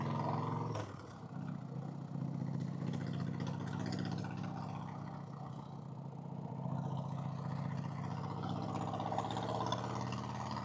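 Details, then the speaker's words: 1990 Harley Fatboy cruising after an S&S Super E carb install and tuning: a loose, uneven rattle rides on the deep lumpy twin exhaust note with road and wind noise, and little backfire now versus heavy backfiring before; the rider wonders if something was left untightened. "Sounds a little rattly. Not a lot of backfire. Oh, before it was backfiring like crazy."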